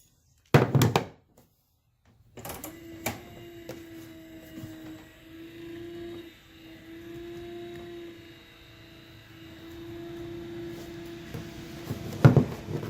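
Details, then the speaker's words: Trolling motor at its highest speed after loosening the two nuts, rotating the center part to tune for peak pitch and retightening: steady, even hum at constant pitch, no rubbing or rattling. "I think that's as good as it's going to get. Now I'm going to hold that in place because it sounded like it had a little bit more."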